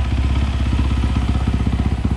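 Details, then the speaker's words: 2020 SSR SR300 dirt bike with new Lectron carburettor, hot after a ride with the fan running: steady, even single-cylinder idle with no misses or clatter; runs and idles much better than on the stock carburettor. "i think we did it it runs so much better"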